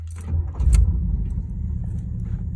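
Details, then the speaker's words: Vintage woody wagon that sat 15 years in a shed, after carb cleaning: brief crank, quick catch, then smooth even low idle with no misses; starts easily and idles cleanly. "of carb cleaning starts up nicer than my fuel inject car look at"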